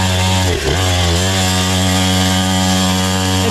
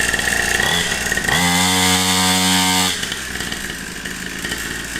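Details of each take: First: Temu 49cc two-stroke pit bike racing a lap: the engine screams at steady high revs while the bike barely gains speed and the rider pushes; the centrifugal clutch slips and overheats, smelling afterward. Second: Cheapest Temu 2-stroke pit bike, 49cc two-stroke engine, after pull-starting with choke: raspy high-pitched buzz revs up, holds a steady crisp pitch, then drops to idle, sounding like a chainsaw; normal healthy running.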